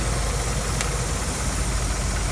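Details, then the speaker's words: Customer hissing complaint with lean check engine light: constant airy hiss over steady idle, unchanged while hoses are pinched with needle-nose pliers (PCV, brake booster), so leak is elsewhere; vacuum leak found when pinching a line makes hiss go away. "See, the hissing noise goes away."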